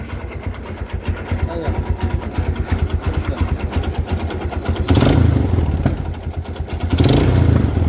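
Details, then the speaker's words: Kawasaki Barako 2 motorcycle engine at idle, loud uneven knocking about three per second, louder on each throttle blip; diagnosed as a connecting rod issue, so the engine will be taken down for repair. Connecting rod knock. "Isue niya connecting rod mga idol. Napakaingay. Narinig niyo naman kanina."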